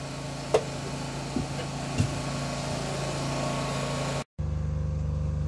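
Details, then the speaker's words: Off-grid generator after a service for fuel problems that made it cut out, now 15 minutes under load running a studio and tools: low steady hum holding pitch, no surging, no previous symptoms, quieter than the other generator; normal running under load. "she's been on a load for a good 15 minutes now um no signs of any of the previous symptoms at all she's not chuntering she's ticking away quite nicely she's considerably quieter than the other one"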